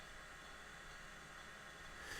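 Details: IBM 0665 MFM hard disk, owned from new since the 1980s, mid surface check: steady soft whir and airy hiss, no knocking, scraping or repeated clicks; spinning and reading normally.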